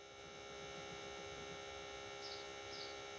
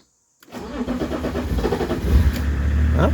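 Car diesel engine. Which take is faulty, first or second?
second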